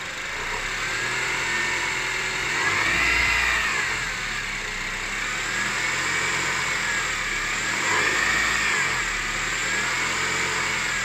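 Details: 2006 Honda CR-V K20A4 petrol engine revving up and down, noise most pronounced at 1500 rpm: rough hissing whirr swelling with revs; fixed by repairing alternator and power steering pump and replacing water pump.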